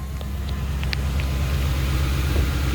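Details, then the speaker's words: 2008 Ford Expedition V8 with 176,000 miles, just started and idling slightly high but smooth with no check engine lights, after replacing a bad fuel injector (codes P0301, P0201) that caused rough idle. "I just turned it on, so it's idling a little bit high, but it's smooth. No check engine lights."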